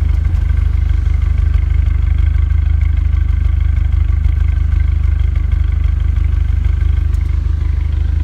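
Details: Renault Megane RS Cup after refitting original injectors cleaned with carb/throttle body cleaner and seals flipped: steady, even exhaust burble at idle without puffing misses; owner not yet sure it is fixed, MAP sensor fit loose. Smooth idle.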